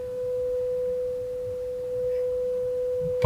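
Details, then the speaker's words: Vintage 1980 Technics SA-202 stereo receiver on the bench during power amplifier repair (faulty STK0029 chips diagnosed), pure 500 Hz test tone through dummy-load speakers holds an even level without hum, crackle or dropout; both channels passing signal normally. "there we go we appear to have signal coming out of both channels"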